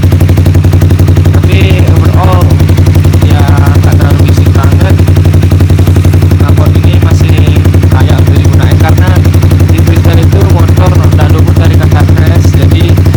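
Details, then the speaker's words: Honda CBR motorcycle exhaust at idle and revving: loud, rapid popping beat with a raspy, spitting edge; the worn exhaust leaks from its underside and is being replaced. "Kalau kalian bisa rasain nih, anginnya keluar dari sini guys, karena ini knalpot bocor dari sini aja sih, dari bawahnya aja."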